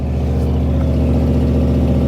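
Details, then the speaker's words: 1980 Dodge W200 with a swapped Magnum 5.9L V8, cold start: dull, uneven idle that runs rich, with a dead cylinder on the passenger side and weak exhaust pressure; worn heads or compression suspected. "Got a dead hole on the passenger side. But even here, there's no pressure coming out of this tailpipe at all. There's something wrong with this motor."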